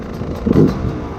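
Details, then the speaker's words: Beta 250 RR two-stroke, stock Keihin PWK carb, fully warmed up, air screw 1.5 turns out; starts easily and idles, but a quick throttle snap stumbles and flattens briefly before picking up, a bog off idle judged lean. "So, right now, it starts pretty easy, idles properly, but when you whack the throttle, there's a little bit of a bo there."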